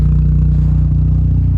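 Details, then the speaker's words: Mazda RX7 FC3S with mild street-ported rotary, outside warming up after timing adjustment removed earlier brappiness: low even idle with steady pulsing and only the odd faint flutter, sounds almost unported; normal idle. "It's a pretty mild street port to begin with, so I just get like the odd little flutter, but it pretty much sounds like it's not ported."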